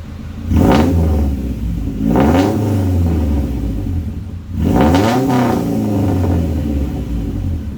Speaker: And this is what it sounds like if it was open header.